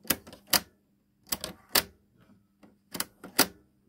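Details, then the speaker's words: Samsung RCD-M70 radio cassette deck A: sharp plastic clacks in three quick bursts as auto-stop keeps tripping; the reel-drive spindle pops out and doesn't hold; deck B works normally. "Я заметил, у Samsung есть такая проблема, что начинает срабатывать автостоп. Именно на самсунговских кассетниках почему-то."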